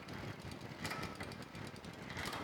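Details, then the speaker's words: Bicycle rear derailleur after advanced adjustment (high/low stop screw backed out a half turn), shifting through second, third, fifth, sixth and seventh gears while pedaling: soft brief clicks as chain moves across sprockets, no grinding or chatter; normal shifting. "second third or fifth sixth and seventh gear and then we should be able to go back up sounds quiet where we made our adjustment"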